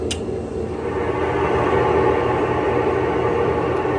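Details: Older Whirlpool Cabrio washer (WTW6200VW0), floating drum and stator drive, roaring in spin: steady loud hollow drone that gets louder; tub bearings worn, fixed by replacing bearings, shaft and tub seal.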